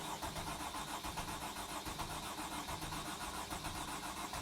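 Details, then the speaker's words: 2008 Freightliner/Dodge Sprinter 3.0L diesel, code P0335: starter cranks steadily for several seconds but engine never fires, crank-no-start; dash lights and check engine light on, computer powered. "i hope you guys can hear the engine cranking the engine cranks but it doesn't start"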